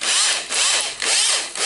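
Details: Makita cordless drill before disassembly: high-pitched motor whine in short trigger bursts trailing off slowly after release, as the electronic brake fails; owner suspects carbon brushes, armature or switch.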